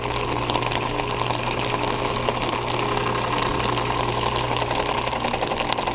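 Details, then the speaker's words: Heat pump outdoor unit defrosting on a very cold day with ice on the fan blades being melted off with steam: steady running drone with trickling, hissing wash and faint ticking; normal defrost cycle. "it's a really cold day right now look at the look at the blades they have ice on them look at that it goes M the ice away"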